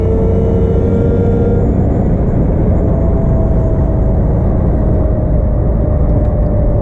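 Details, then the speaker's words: Mopar Slant Six with a newly swapped supercharger, driving under hard throttle in cold weather, engine below operating temperature (~160°F): thin, steady whine rises with revs over a heavy driving rumble. Blower winding up, normal and healthy under load. "when you drop the hammer [Music] and hear that thing wind up right all right all right we'll go give her a little Goose here"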